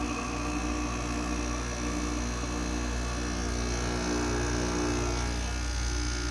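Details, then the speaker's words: Goldstar WG5004 window air conditioner, low-charge compressor just started after sitting: steady low rattling hum with a rough uneven buzz; the owner suspects lubrication, with oil not yet circulated, and says it only does this after sitting a while. "It really only does that when it's sitting for a while, which makes sense. Because then the oil hasn't passed through the compressor, really. That's a really annoying sound, though."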